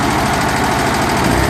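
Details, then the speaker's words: Barn-find VW 40 hp air-cooled flat-four, pushrod tubes and seals replaced, first fire-up installed in a 1963 Beetle, took a couple tries to start: even, steady putter, no knocks or misses; normal idle. "But it starts up, it idles, sounds good."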